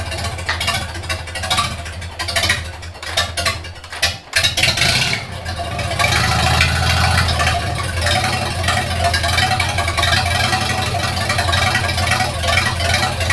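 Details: 1942 Farmall H tractor after transmission repair (scraping/screeching, hard shift from reverse): cranking, then catches and settles into a steady, even low chug with no knocks; runs healthy with carburetor not yet adjusted.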